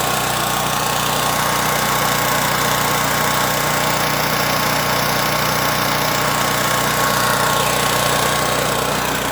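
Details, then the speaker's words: Pro Force Power Mate 2500 W generator after cleaning the clogged carburetor pilot jet that had caused surging. The engine holds an even, steady drone with no rise and fall in speed. Fix worked; normal steady running. "Alright, so as you can see, that cleaning that pilot jet did the trick."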